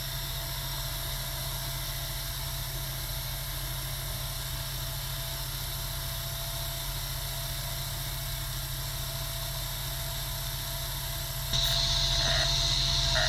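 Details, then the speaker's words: Sega Dreamcast GD-ROM drive with failing capacitors, after reopening and closing the tray: steady even spinning whir that lifts a step louder as the drive settles in; now reading the disc normally, sound varies by game. "And now it's working. It's a little bit different sound to the drive. It depends on the game."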